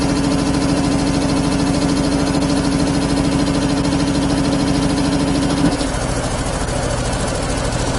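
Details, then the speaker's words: 25 hp air compressor on single phase, idling unloaded: even, steady thumping about 200 beats a minute, no labouring or knocking; normal unloaded idle. "now it's idling you noticed it idols once it warms up is usually around twenty seven twenty eight amps and vitalina 31"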